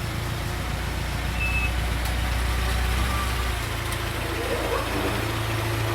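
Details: VAZ 2106 (about 1975, 1300 engine, 4-speed, electronic ignition) at idle after valve clearance adjustment (0.15 intake, 0.17 exhaust): steady, even low idle with no tapping from the valve train; top-end noise gone.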